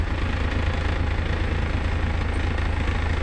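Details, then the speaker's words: Car engine idling after the owner fixed a hard-start fault (starter/electrical suspected): steady, even idle, smooth low rumble with no misses, knocks or stumbles; normal idle after repair. "Hirap kasi yun mag-start up. Dito lang palang sira."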